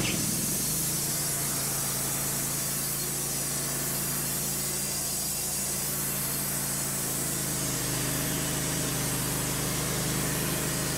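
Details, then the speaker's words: Wood-Mizer LT15 sawmill engine while sawing an American Beech log: steady low drone with hissy background whose speed sags and picks up again; sputtering and surging for several sessions, cause unknown. "We've had troubles with it the last few times, sputtering, and you hear it going up and down in the background."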